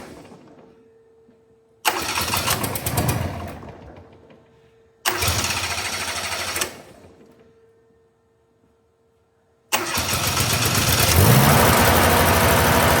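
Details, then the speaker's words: Steiner 230 with Kubota gas engine, after stalling (owner suspects air in fuel line): two short cranking bursts that die, then catches on third try and settles into steady, even run; normal start and run. "Okay, so we're running. Not sure why it stopped on me other than just air in the fuel line."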